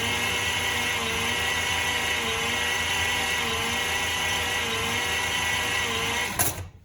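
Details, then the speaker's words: Rebuilt 1953 Dodge 228 ci flathead bored to 237 ci, 6-volt system, in neutral at first start-up: the starter cranks with a steady even whir, no clicking. Normal cranking once a good ground was made; the battery cables and frame mounting had not worked. "That's amazing. All it took was a good ground. Battery cables would not work."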